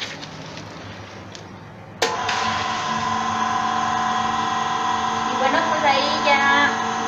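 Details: Submersible pump that only vibrated and gave no pressure, reassembled after repair: motor kicks on sharply and settles into a steady, even hum without stalling or buzzing; pump running normally.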